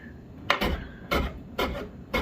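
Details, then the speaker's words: 1999 Chevrolet Suburban GMT400 door sagged about 1/8 inch on worn hinge bushings: short metal scraping rubs on the striker each time it swings shut, needing a push to latch; before new bushings and door pin roller. "You can hear it rubbing on the striker. You gotta push it to actually get it to go in."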